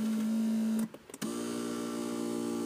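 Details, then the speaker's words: 2021 Mazda CX-9 driver's electric power seat with memory: the seat motor is unusually noisy while adjusting, a loud steady vacuum-cleaner-like electric whir that cuts out briefly and resumes at slightly lower pitch. "Ini electric seat-nya agak sedikit berisik ya. Bunyinya kalian bisa dengar nih, bunyinya seperti ini."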